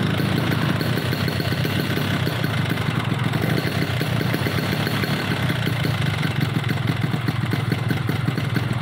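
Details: Two-stroke Yamaha RX motorcycle lacking power: rough, uneven idle with rattling clatter; compression low, reed membranes too heavy, cracked piston and off-centre cylinder bore.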